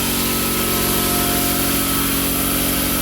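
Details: Quincy 5 hp air compressor, newly installed on vibration pads in small garage, pumping up: steady even pump thump about four beats a second with constant motor hum; sounds healthy, normal running.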